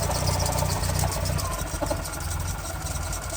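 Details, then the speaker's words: Nissan 350Z or Miata idling before a major service: lumpy, uneven idle with a low clunking thump about two or three times a second, nearly stalling; cause unconfirmed. "plus it it wasn't sounding that good I'll put a little clip right here you'll know what I'm saying but flashback you hear this clunking"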